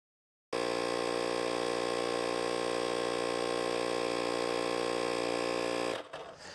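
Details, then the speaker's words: Fortem portable tire inflator filling a flat tire from 0 to 35 PSI: steady buzzing hum with a fast even pulse, no knocks or strain, quieter than a full air compressor; runs normally. "It does kick on. It sounds like a compressor. It's not as loud as my other air compressor, but it's got some noise, but it's not too loud."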